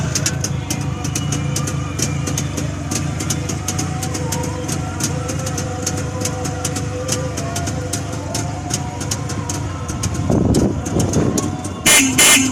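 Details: Freshly rebuilt Jawa 350 two-stroke, original sound: crisp, even crackle at steady idle with sharp regular pops and no knocks or rattles; normal healthy idle.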